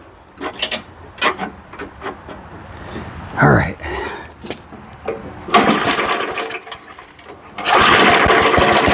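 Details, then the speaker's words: Old 1980s Firestone 22-inch mower stored for about 20–30 years, first start after fresh oil and gas: a few pulls, then it catches and settles into a busy buzzing run. It fires up readily on first start after long storage. "Wow. I can't believe it was that easy."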